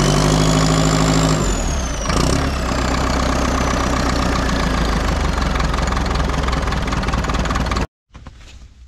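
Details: Front-end loader that sat about 15 years, running again after a few days of work, coolant topped up: steady, even low diesel idle chug with no knocks or misses; normal idle.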